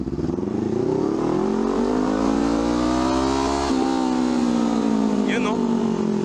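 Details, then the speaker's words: Honda CL500 twin with upgraded exhaust and high-flow air filter, after an ECU remap of air-fuel ratio. It revs up and the throttle snaps shut; revs fall away cleanly with the former overrun backfire pops gone, only an occasional single pop left. "Wala na yung mga putok-putok. Ayos. So dati pagka ginanon ko pag-off ko ng throttle pak pak gumaganon yun."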